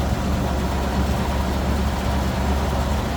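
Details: 1950 Ford F1 pickup, 8BA flathead V8 with new carb, electric fuel pump, 12V system, three-speed manual, heard with hood open: low even idle with steady soft burble, no knocks or misses; normal idle.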